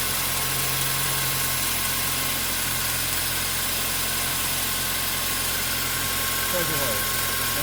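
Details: 2008 Mazda 3 manual, nearly 200,000 km, idling: thin steady chirping squeal from the front of the engine over an even idle, likely from the worn serpentine and AC drive belts, which the owner then replaces; worn drive belts.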